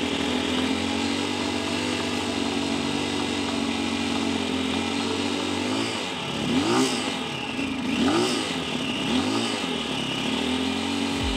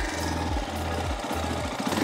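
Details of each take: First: 2022 CSC TT250 carbureted single-cylinder enduro motorcycle at operating temperature: holds a steady but low idle, under three tachometer bars, with a few quick throttle blips; idle speed too low, adjustable via the carburetor idle speed screw. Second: CSC TT250 Enduro 2022 carbureted single-cylinder motorcycle warm at operating temperature, idle raised via the carburetor idle screw to three tachometer bars; revved then settling back to a steady, even low-thump idle with no knocks or misses.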